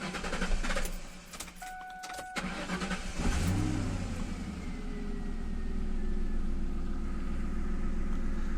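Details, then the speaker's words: Ford Mustang, about 2000, 4.6 engine, after repair of a strange hum at the air filter duct and refitting the valve; starter cranks briefly, engine catches and settles to a smooth even idle with no hum; healthy. "llegó la hora de la verdad vamos a encender el vehículo"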